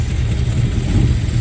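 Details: 1963 Dodge Dart convertible with a 360 V8, off the road 21 years, running with a new ballast resistor, electric choke and mechanical fuel pump: a deep, uneven rumble that lurches and wavers, then stalls after starting. Needle and seats suspected.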